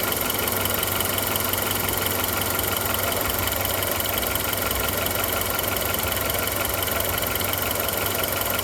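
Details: Audi A2 1.4, AUA engine, at idle: steady idle with a fast light tick at an even pace from the top end; ticking noise, cause not identified.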